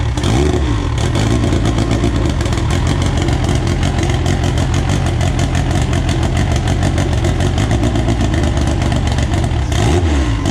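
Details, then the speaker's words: AWD EG build first start on a borrowed 2000cc-injector tune: dense, even engine note with crisp rev blips pulling up cleanly, no knocks or misses; runs pretty good, healthy. "alright guys well there you have it the car officially runs uh it runs pretty good"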